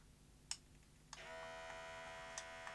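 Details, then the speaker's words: Sanyo VTC-M40 Beta HiFi video recorder, unused for a long time, loading a tape. A few clicks, then a thin steady motor whir keeps running without loading finishing. The loading belt is slipping and is to be replaced. "Oh, that went wrong. Sounds like the loading belt was slipping."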